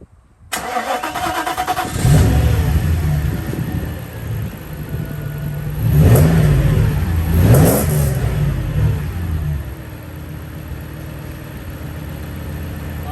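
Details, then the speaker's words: Mercedes W140 after changing spark plugs: catches quickly, takes two clean throttle blips with good response, then settles into a steady, even idle firing on all cylinders. "Definitely seems to be firing on all cylinders. This is good. Oh man, that is running great."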